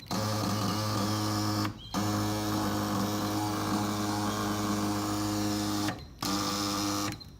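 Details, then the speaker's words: Cat-eye super pocket bike with newly wired electric start, fully charged battery: high even electric whir in bursts with short stops, engine not turning over; swapping wires changed nothing, and on low battery it seems to turn over; starter spins without cranking. "the thing is when the battery gets low it sounds like it actually turns the engine over the one that's fully charged it does doesn't for some reason it's kind of weird"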